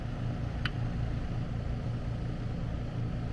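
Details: AC condenser running after repairing a compressor disconnect where a mounting screw shorted a high-voltage leg and tripped the breaker: smooth, steady low hum at constant level, no clicks or grinding; running normally at about 239 V.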